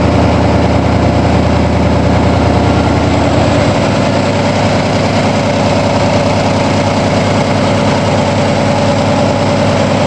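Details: 1987 Toyota Supra MKIII with swapped Chevrolet 350 Vortec V8 and 700R4, restarted after rebuild with distributor cap turned 180° and valve lash reset; exhaust loose on manifolds, unwelded. Deep, steady even burble, no popping or misfire: normal idle.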